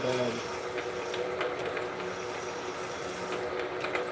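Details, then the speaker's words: Quarter-inch drill going into a block that isn't clamped well: harsh, uneven rattle with scratchy ringing tone under the spindle hum; drill chatter from poor clamping, risk of snapping the drill. "Oh, that doesn't sound I might not be able to drill through this like this cuz it's not clamped well enough."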